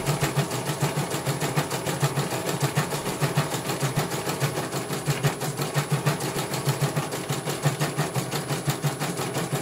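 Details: CNY computer embroidery machine from Banjarnegara, Central Java, test-stitching after service (dynamo motor earlier wouldn't spin at all): even, steady rhythm of about fifty needle strokes a minute with smooth motor hum; one colour finished, result very good, normal stitching.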